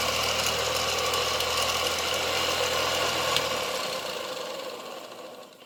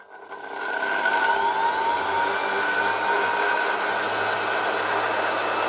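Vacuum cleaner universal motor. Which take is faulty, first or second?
first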